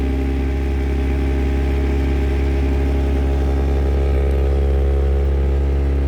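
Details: 1991 Mazda MX-5 (Miata) with a steady engine drone around 2,000 rpm carrying a loud, buzzy rattle from under the dashboard, caused by the upper of two yellow coolant lines vibrating.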